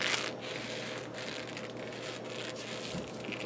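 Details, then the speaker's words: Atlas 618 lathe running with new orange drive belts: scratchy squeaky bursts about every second over the running noise from the belt itself, possibly just because it is new; occasional belt vibration also noted. "doing anything you hear that squeaky squeaky that may just be because it's new but there's noise in' in the belt itself"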